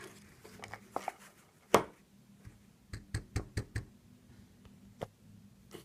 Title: Seiko SNK809 Rattling noise rotor issue (7S26) short